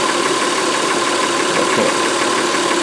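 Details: 2004 Honda Pilot 3.5 V6, cylinder 4 misfire with a flashing engine light: uneven, stumbling idle with irregular skips, triggered by touching the injector connector. Caused by an intermittently loose, poorly gripping injector connector terminal.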